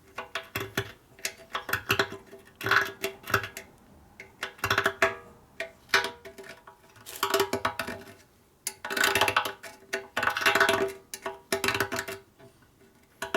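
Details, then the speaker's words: 1941 74ci Harley Knucklehead bobber being sorted to run: fuel tank shaken, repeated bursts of dry clattering as loose rust flakes and old sealer rattle inside; lots of rust, to be blown out. "Hear the rust? Yep, I hear it. Rust removing tool. I'll blow it out. Yeah, there's definitely a lot of rust in there. Everything rattling in there."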